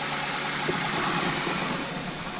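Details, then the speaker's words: 2008 Ford Focus idling after a spark plug change that fixed an idle and driving stumble and check-engine light; even, smooth idle hum with no skipped beats or misfire pulses: normal idle, repair successful. "it's not hesitating at all as you can hear it in the exhaust she was skipping a beat and she sounds good now"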